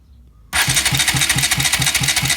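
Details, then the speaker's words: Bajaj Rouser NS200 cranked in neutral with the spark plugs disconnected and one removed, to check oil rise and noise: an even crank at four to five pulses a second with no odd noise. Oil rises, though slowly. "no hace ningún ruido raro aceite sube también que con el burro no es lo mismo que con la moto encendidas"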